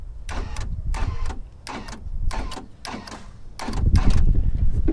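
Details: 1997-2001 Jeep XJ power door locks after a wiring repair inside the doors: crisp paired clunks about four a second in bursts as the locks cycle, actuators snapping firmly; working as they should, though one door's latch is suspected bad.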